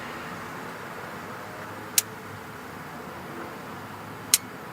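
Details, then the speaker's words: 2005 Honda Pilot with bad transmission, shift solenoid B (top) actuated by scan tool: two sharp clicks about two seconds apart over a steady engine hum; solenoid clicking and working. "We got B. That's on the top there. Yep, it's clicking. And again. Yeah, that's working."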